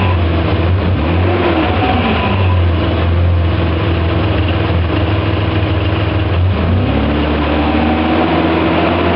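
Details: BMW E34 535i: deep engine drone whose tone sags and climbs again around two and seven seconds; weird noise, owner suspects gearbox, source unconfirmed.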